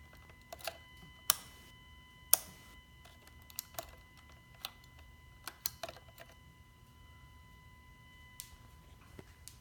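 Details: Kawasaki VN750 after shutdown: faint steady high whine near 1 kHz with scattered clicks, normal fuel tank venting as engine heat rises.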